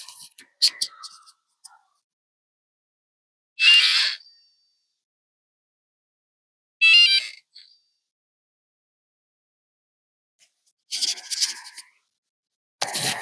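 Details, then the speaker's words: Wyze smart lock, about 1.5–2 years old, deadbolt works manually, mic held to lock: short high-pitched motor whirs in bursts, stopping abruptly as gears jam and the bolt fails to move; motor straining. "so you can hear that it's trying to work but it's the gears are getting jammed in there"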